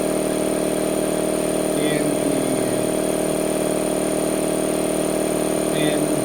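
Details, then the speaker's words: Harbor Freight 2 hp 29-gallon air compressor with an added air filter and a cooler/air dryer. Steady, even hum with a smooth pump pulse about three times a second and no knocks or squeal: normal compressor running. "I'll turn it on for you. It's pretty darn quiet."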